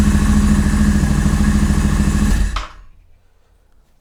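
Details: Royal Enfield Interceptor 650 in neutral, started on a newly mocked-up wiring harness for custom Remmoto 2.0 switchgear: engine catches and runs with an even steady beat, then cuts off cleanly at the kill switch; healthy running.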